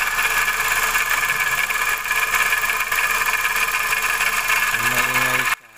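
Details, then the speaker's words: Steady, gritty whir over the engine from the belt-driven side. With the belt removed the noise disappeared, so it is external to the engine, not internal. It was traced to a worn bearing. "So nawala yung ingay niya. Ibig sabihin wala sa loob ng makina, sa labas yung ingay."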